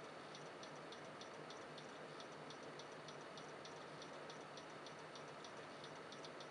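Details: Computer stuck on startup repair and won't load: quiet whirr with sharp clicks about twice a second; owner suspects a failing hard drive, unconfirmed.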